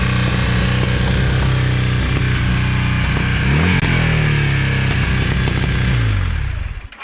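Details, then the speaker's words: 1982 Honda CM450 twin, first run in seven years after cleaning the carbs and fitting new plugs, oil, filter and battery: an uneven idle with irregular pops and spits; idling lean, mixture still needs adjusting. "it still idles pretty lean i'll show you here it actually pops pretty bad"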